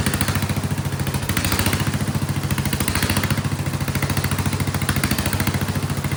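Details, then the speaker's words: Vintage Kohler generator, flathead engine (guessed 400–500 cc), after removing the float spring, powering a shop vac: fast, even, loud single-cylinder exhaust thump at steady speed, no surging under load; owner still suspects fuel delivery or carburetor issue. "I'm gonna put some load on it. And then it seems to also, that makes it stop surging, it seems. It is loud though."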